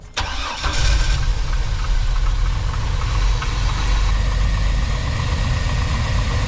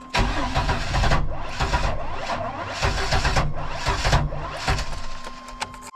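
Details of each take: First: 1999 Chevy Astro AWD van with a recurring no-start, after fitting a different distributor cap and rotor: short crank, catches at once and settles into a steady, even idle. Starts normally; owner unsure why it suddenly works. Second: 1999 Chevy Astro AWD no-start after new cap and rotor, billet distributor, crank position sensor replaced with shims: starter churns fast then drags suddenly with pops, never catches; uneven cranking, ignition timing suspected, not confirmed.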